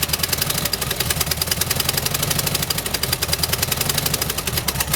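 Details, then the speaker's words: 1971 early-bay VW bus with new carburetor, electronic ignition, sticking throttle cable, timing about 4 degrees off: busy uneven ticking clatter over a loping irregular idle, runs rough like a misfire; owner suspects timing or worn plugs and wires, unconfirmed. "I don't know if it's what's causing it to run a little rough. It's honestly running like it has a misfire, so maybe it's about time to do some plugs and wires."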